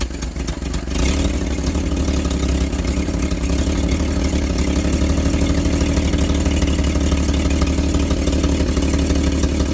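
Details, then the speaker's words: Old truck engine that sat unrun for 30 years, restarted with water running through the block: smooth, steady low idle with no misses or knocks, 40 psi oil pressure (nearly 50 when revved). It smokes slightly; owner says the rings haven't seated yet. Normal idle. "see how smooth the nidles nice smooth got 40 pounds of oil pressure then we got water running through the block"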